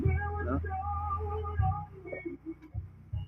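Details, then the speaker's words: Amplifier whose sound keeps cutting on and off: music plays steadily, then drops out suddenly and returns in short broken bursts; a supply rail reads positive 12 V where it should be negative, and the abnormal supply makes the output cut out. "Ayan o positive 12 kaya magpapatay patay talaga yung supply niyan kasi abnormal yung supply eh kaya abnormal din ung tunog"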